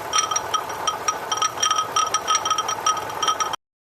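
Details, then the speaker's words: 2009 Lexus RX350 3.5L V6 2GR-FE, running with AC bypass belt fitted, noise from passenger side; irregular high chirps and clicks persist, accessory drive chirping; top idler pulley to be replaced next, cause not confirmed. "We are now running with the AC delete or AC bypass, and you can hear the noise."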